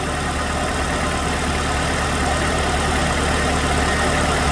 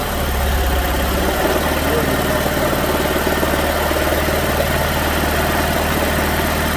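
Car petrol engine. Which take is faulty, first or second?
second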